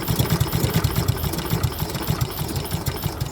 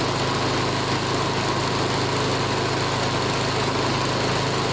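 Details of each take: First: Old Honda Harmony mower, Kohler-clone engine unrun for a long time, started with fuel mix squirted into the plug hole, choke then opened. Low, uneven thumping that never steadies; it struggles and revs won't rise. Owner suspects an rpm problem, possibly water in fuel. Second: Older Honda Harmony mower after full tune-up (carb, valve lash, ignition, oil), full throttle: strong even speed, steady beat, no hunting or surging; measured 1910–1920 rpm, judged perfect, normal running.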